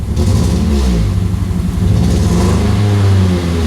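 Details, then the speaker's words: 2003 Pontiac Vibe GT four-cylinder idling rough and lumpy with an uneven off-beat pulse, muffler shaking; only a catalyst code stored, misfire suspected from bad coil or spark plug. "I mean it does actually kind of sound like a Subaru but that's not the way it's supposed to sound"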